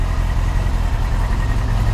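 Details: Carbureted Yamaha R6 recovered after theft, just started and warming up: steady, low, even burble with no knocks or stumbles; smooth normal cold idle.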